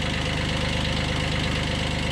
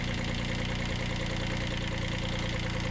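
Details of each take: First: 1991 Kubota B7100 HST diesel after radiator stop-leak and fuel filter change, at low throttle after glow plug heating: steady, even clatter with a regular firing beat; running normally. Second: 1991 Kubota B7100 HST diesel after fuel filter change: knocks along at steady slightly uneven beat, about three per second, sucking air into the fuel line; later bled at bleed screws.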